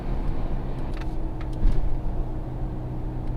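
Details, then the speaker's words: 2006 Toyota 4Runner on a road test: a constant low roar that holds steady with speed rather than tread rhythm, heard from the right side. The finding is a worn right-side wheel bearing rather than tire noise. "definitely got a roar"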